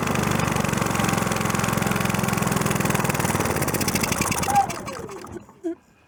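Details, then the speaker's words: Predator 3500 generator with a newly fitted carburetor: the small single-cylinder engine runs steadily at an even pulse for several seconds, then winds down cleanly, no misses or surging; started with no problem. "Anyway, that started with no problem."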